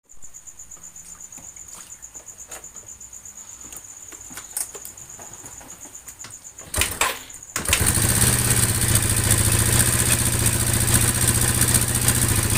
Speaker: Mio Sporty suara kasar di bagian head atau kop indikasi kehabisan oli atau kekurangan oli